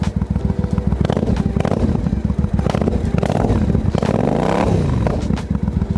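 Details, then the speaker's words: Warmed-up 2005 Triumph America, a 19-year-old dual-carburetor bike started from cold: twin thumps at an even, loping idle, blipping up and dropping back cleanly. A normal, sweet-running warm idle. "So with a carby bike, you want to warm it up first. Obviously a bit annoying for the neighbours, but it's got to be done."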